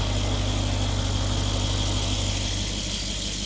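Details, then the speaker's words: Mercedes E63 AMG-S V8, rebuilt after a wreck: deep, even burble holding steady with no knocks, ticks or misses; healthy idle. "But before that, listen to this. Absolutely insane. This is a wild sound."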